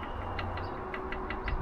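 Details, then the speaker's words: Rover P6 engine: light metallic ticks about five or six a second over a low hum, a slack timing chain slapping, the tensioner probably seized. "that sounds like my flappy chatry chain"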